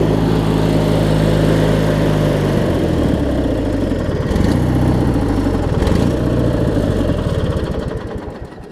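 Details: Craftsman LT1000 rider with a swapped opposed-twin engine, after a hydro-transmission pulley fix and a new deck belt: a steady, even twin beat that drops and thickens as the deck load comes on, then winds down cleanly; runs normally.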